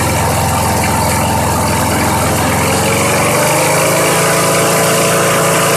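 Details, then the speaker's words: Old push mower on 90-octane pure gas: steady, even putter settling slightly midway, no stumbling or knocking; idles healthily on its own. "Hey, that thing just runs. What do you know? I mean, it's running on its own. Who knows when the last time it was cranked? It actually sounds pretty dang good."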